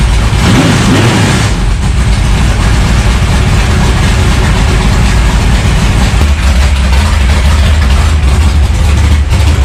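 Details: Dirt track race car V8, bone-stock used parts with 2-barrel carb, first start after sitting for winter, warming up: loud lumpy idle with deep even burble and early blip; healthy.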